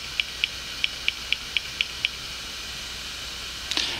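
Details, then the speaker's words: Clicking Western Digital hard drive after head map changed to use only head two and soft reset: eight quick light ticks about four a second, then a faint steady spin hiss; calibrated and idling normally. "okay so as you can hear our drive just performed a calibration and right now it stays idling and it's spinning"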